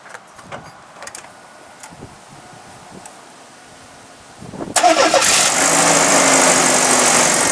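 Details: 1998 GMC Sonoma pickup after a water pump replacement and coolant refill: cranks, catches at once and settles into a steady, even idle; normal idle.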